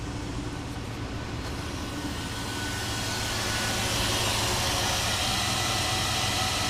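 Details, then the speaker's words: 2001 Jeep Grand Cherokee 4.7 V8 idling after replacing and programming a bad PCM; steady, even, smooth hum with no misses or knocks and no check engine lights; fixed and running normally. "I would say it's running running just fine I think we fixed it"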